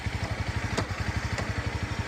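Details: Idling motorcycle with an even low thump broken by two sharp metallic clunks from the front sprocket area; a mechanic suspects the front sprocket is fitted the wrong way round, to be flipped and retested.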